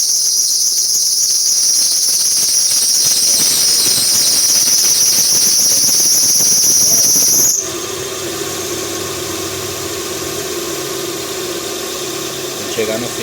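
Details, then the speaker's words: Hyundai Tucson at idle: a sharp high-pitched squeal that appears when the steering is turned to full lock and cuts off when it comes off. Not the power steering pump; tightening the pump belt didn't help; a slack belt was tensioned to fix it. "vamos tá dando partida aqui no carro para vocês ver o barulho que faz na Correia esse barulho aqui ó"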